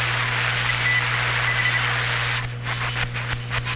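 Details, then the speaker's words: Hammarlund SP-600 ex-military receiver with replaced paper capacitors, audio fed directly to the recorder: short, clean, high-pitched Morse dits and dahs over low hum and hiss, as Morse should sound on this receiver. "now that's that's what morse code should sound like in a radio like this"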